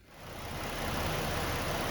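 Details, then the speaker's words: 2014 Ford Edge petrol engine just started after throttle body cleaning, settling into a steady, smooth, even idle with a low hum; before cleaning the idle hunted and bounced erratically. "okay and there you have it just started the engine fired right up idle's nice and smooth"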